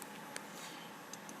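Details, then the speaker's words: Seagate hard drive from a 2006 first-generation Intel iMac, powered up in an attempt to recover data: a few sharp isolated clicks over a quiet hum, the drive dead from mechanical failure. Hard drive click of death. "flat out dead yeah that uh that sea gate drives you into classic skeet skeet skeet skeet ski click of death you know that sound"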